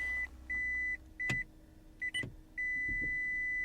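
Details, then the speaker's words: 2008 Toyota Prius salvage car, running on the electric motor with the gasoline engine off after being put in gear; high steady beeps repeat in long and short bursts over a near-silent car: a persistent, annoying warning chime. "running on the on the electric motor well now it now it won't there it goes stop beeping good god that is annoying"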